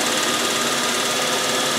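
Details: 1956 Logan Model 922 11x36 lathe, first run after repairing the 5C collet closer for vibration: even, steady whirr with a bright high hiss and no knocks; spindle runs smoothly with basically zero runout.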